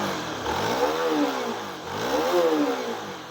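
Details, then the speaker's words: Honda New CB150R after engine rebuild correcting a misaligned welded balancer and replacing the cracked magneto: two clean throttle blips rising and falling smoothly from idle, no misses, rattles or knocking; engine now smooth. "Oke mesinnya sudah halus"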